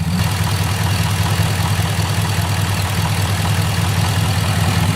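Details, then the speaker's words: 2006 Chevy Impala SS LS4 V8 idling after spark plug service and code clearing (P0118, P0300, P0307): steady low burble with a faint, constant hiss from a slight vacuum pinhole leak; fuel trims good. "trims are good you just got a slight vacuum leak wherever that system feeds off it just got a crack close that's all"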